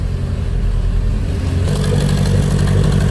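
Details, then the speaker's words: Toyota MR2 SW21 with 5S-FE, first start after a budget turbo build (DSM 16G TD05 turbo, oil feed teed off the oil pressure sensor, 10AN return to a 3S-GTE pan): engine fires and revs with a rising whir and rush as the turbo spins up, no scraping or grinding. Normal spool. "Oh yeah, we're spinning."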